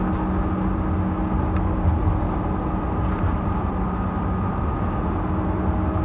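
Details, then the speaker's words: 2011 GMC van with 134,000 miles, on throttle: a steady drone with a constant low tone over road noise, heard only when on the gas and worst around 50–60 mph. Rear axle gear howl under load is suspected, not confirmed. "it's the most horrendous noise i've ever heard um i think you guys can hear it now warp speed uh but it's kind of funny because only the noise only comes on when i'm on the gas"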